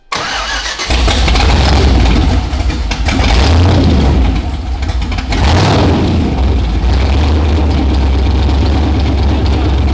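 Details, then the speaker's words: LS V8 swapped into an R32 GTR with stock GM EV1 injectors at about 60 psi fuel pressure, not yet warmed up, tune running lean; deep steady idle with even lumpy beat, no knocks or misses; normal idle. "all right so we're running pretty lean right now but you hear how it sounds pretty damn good"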